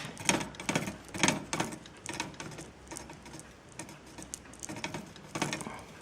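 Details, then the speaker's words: Bicycle after crank ball bearing replacement, crank turned slowly: scraping clicks about once a second, uneven, louder at one spot per turn as the chainring touches the frame metal; chainring rubbing on frame. "this Cog wheel is touching this metal okay and to solve that problem let's invent something"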